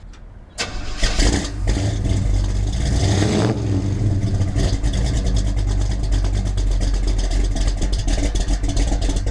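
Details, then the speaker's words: Engine after new Holley 4150 carburetor is sorted out: catches after a short crank, blips, then settles into a steady, even idle without stumbling; running beautifully and healthy. "Now that's what I'm talking about. She's running beautiful. Sounds good, makes all the right noises."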